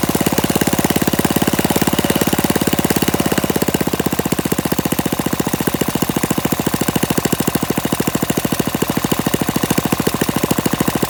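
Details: Warm Briggs & Stratton flathead mini-bike engine with PZ19 carburetor, on a stand with no load and no muffler, after idle screw adjustment: loud open-exhaust popping at a steady fast beat, firing even and consistent; runs fine.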